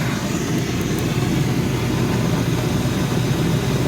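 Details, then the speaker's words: 2002 Reznor unit heater draft inducer motor after repair, drawing 1.4 A of 1.6 A rating: steady, even blower rush with low hum, no rattle or grinding; healthy. "1.4 amps. So it's rated 1.6. Sounds a whole lot better. You can't hear it from the ground."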